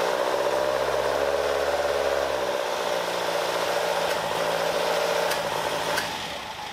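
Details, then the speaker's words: Caterham Super Seven after jet changed from 60 F11 to 45 F9 and venturi downsized: even settled idle, steady beat, no misses or pops; vibration reduced, backfires gone. "Also, the vibration of the engine has been reduced a lot! And the backfires that were a problem are no longer there."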